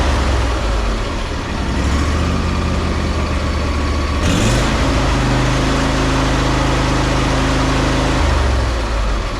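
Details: Ariens 20 hp riding mower with Briggs V-twin, after full no-start repair and carburetor work, back to 100%: steady, even low drone with one smooth rise in revs midway, no misses or knocks; normal running.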